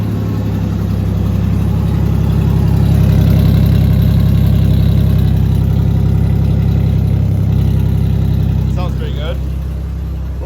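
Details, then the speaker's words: 3.0 Ford Ranger just fitted with a new cylinder head after a bad exhaust valve seat on one cylinder; idles smoothly like a sewing machine with a deep even exhaust rumble and no knocks or ticks. "idling down running like a sewing machine"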